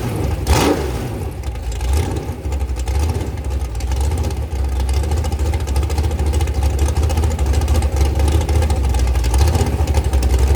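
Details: Rebuilt 426 Gen 2 Hemi crate engine (new heads, intake, pistons) on a run stand, flat-tappet cam break-in at about 2400–2500 rpm, 32° timing, revved up and down under 2,800: deep even rumble swelling with revs, no tick or knock; normal.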